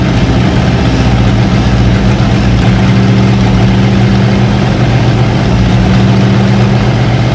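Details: Long-sitting 1956 Oldsmobile 88 V8 brought back to life after doing the plugs and filling the carburettor bowls: steady, even low rumble at idle with no knocks, misses or surging; normal idle.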